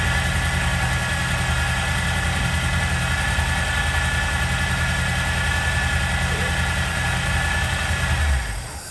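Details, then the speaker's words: 1964 Chevy C10 V8 first run after sitting seven years, cold: uneven idle, possible bad plug or plug wire, with thin steady high whine over the rumble; suspected low power steering fluid, not confirmed. Whine at idle. "we need to put some power steering fluid in it so that whining noise isn't distracting us from what else we're doing"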